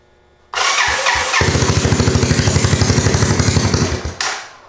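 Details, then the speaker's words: 1986 Honda Fourtrax 200SX after a top-end rebuild and new ignition coil, started without choke: catches after a few cranks, fires fast and steady at about four a second, then stumbles and dies and won't restart; owner suspects flooding. "So it has died for a different reason, and it won't restart, by the way. I'm suspecting it is flooded out."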